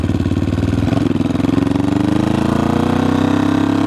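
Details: 1974 Honda CB500T cafe racer: fast pulsing idle with slightly uneven beat and creeping pitch, struggles to stay running. Rough idle, owner suspects carbs needing rebuild and sync.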